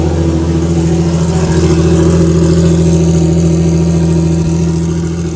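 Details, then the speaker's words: Toyota Supra during TX2K21 prep, start after reinstalling cleaned, flow-tested injectors and installing the fuel pump: steady even idle with deep regular exhaust pulse and no misses or knocks; runs healthy. "and i'm packing it up for the day but we got quite a bit done as you saw the car fires up and runs"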